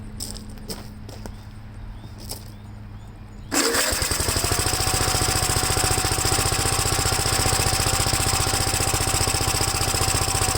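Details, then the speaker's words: Gravely single-cylinder engine, first start after installing gas tank and new battery terminal: catches at once after a quiet stretch, settling into a steady, fast chugging run on choke, before carb adjustment; choke later turned fully off and it runs all right. "we ran on choke I know directions that I I can start taking the show for us and I turned it out a little more hit the choke all the way off and seems to be running all right on the tongue"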